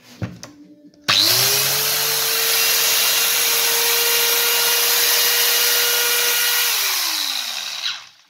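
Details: Interskol PTs-16/2000T 2 kW electric chainsaw after repair (armature, bearings, brushes and sprocket replaced, sparking gone): motor spins up fast to a steady even whine, holds speed cleanly, then winds down.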